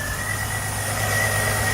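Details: 2005–2009 Jeep Liberty 3.7 L with no-crank fault, started by feeding power while cranking (no power from ignition switch): steady even idle rumble with faint constant whine, no misses or knocks; engine runs normally.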